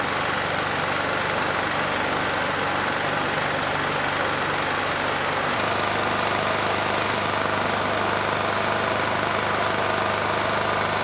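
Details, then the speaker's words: Rebuilt Honda GX390 clone 389cc single-cylinder from Generac GP6500 generator, hemi head swapped to standard after dropped valve, governor tension reduced: steady low-speed run, even firing, slight step in pitch partway, no knock or rattle; healthy. "assuming it does start uh the engine speed is going to be a little bit slow I did take some of that tension off so if the engine sounds good we'll increase the tension a bit and just see how it does"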